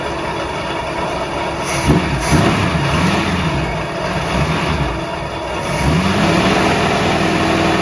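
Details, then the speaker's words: 1966 car with old V8, barn-stored for years, warmed up; idles, revs and settles with a loose uneven beat, oil pressure below 10 psi at idle, carburetor needs rebuilding; engine suspected worn: low oil pressure when warm. "I want to show you the oil pressure now that it's warmed up that's kind of concerning but let me start it up real quick slow power below 10 psi of oil pressure and watch what happens when I run it off"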